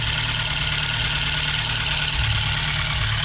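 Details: 16-valve engine idling evenly with a light, fast tick over the hum. The owner traces it to the intake side and suspects the butterfly valve; the cause is unconfirmed.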